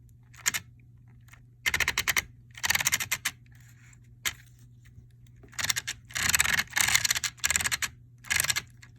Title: Traxxas 4-Tec 2.0 VXL grinding noise